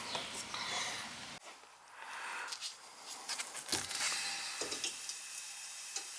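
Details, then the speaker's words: Outside shower supply, split SharkBite fitting: sharp steady hiss of water escaping under pressure, with a few handling knocks; water leak hiss. "Sounds like there's more leaks. Oh, something's definitely leaking here."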